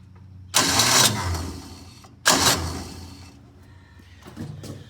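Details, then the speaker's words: Kawasaki Mule 610XC (possibly 2014), before starter replacement: two short bursts of fast, light whirring with no compression thumps behind them; the starter spins but does not seem to engage the engine. "it just really doesn't even sound like it's engaging"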